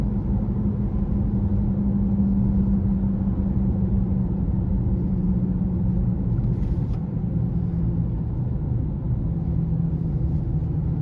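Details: 2018 Honda CR-V driving at 25–65 mph: steady low drone under road noise, even pitch, present since new; absent with front wheels lifted; owner suspects hub assembly or tyres, cause unconfirmed.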